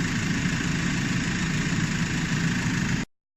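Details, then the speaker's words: Nissan Navara D40 diesel idling after alternator replacement (battery and brake warning lights had come on, headlights dimmed); the earlier noise is completely gone, steady even low rumble with no whine or rattle: normal idle. "vous pouvez démarrer tranquillement bah là c'était flagrant le bruit il y avait plus du tout de bruit"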